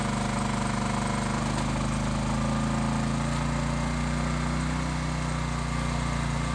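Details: Low-hours Honda EX1000 generator driving a heat gun on high at full load (maybe around 1350). Steady, even engine drone holds firm pitch with no hunting or surging; normal running under heavy load.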